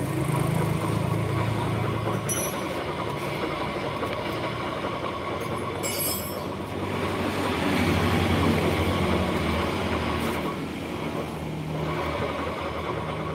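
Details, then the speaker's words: Honda Vario 150 scooter at idle with rear wheel stationary: steady rough grinding from the CVT belt drive, diagnosed as worn pulley bearing; engine also had dirty throttle body and injector. "ke belakang murni ke depan murni ini pertanda apa ini lahar puli bos jadi lahar puli itu pada posisi diam kayak gini ini bunyi Bos"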